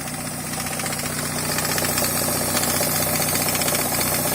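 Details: NA Mazda Miata idling with a steady knock about four times a second from the crank pulley, not refitted correctly after a timing belt change, under 100 miles before the woodruff key sheared; recorded in the engine bay, moving front to back.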